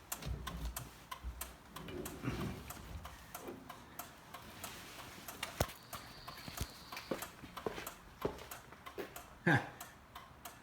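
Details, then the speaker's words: 1973 VW Thing, first power-up after installing battery: crisp, evenly spaced clicks a little under twice a second, never skipping; hazard flasher working normally. "How about hazard lights? Ooh. Yeah. Good."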